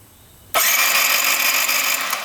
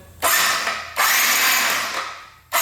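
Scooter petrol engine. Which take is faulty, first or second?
first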